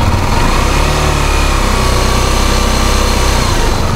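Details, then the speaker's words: 2023 KTM Duke 390 BS6 single-cylinder after chain tensioner repair fixed an engine noise issue: steady idle with an even low thump and no ticking or rattle on top; normal idle. "तो कोई आवाज नहीं है तो भाई gas यही थी video जितने लोगों को इशू ए रहा था अपनी ड्यूटी के अंदर"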